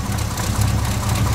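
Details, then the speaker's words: Dually truck idling cold on a freezing morning, oil pressure 40, heard from underneath: steady rumble with faint quick ticking following engine speed; exhaust leak near manifold, owner suspects cracked manifold or old gasket piece. "you can hear an exhaust leak which is coming from up there somewhere"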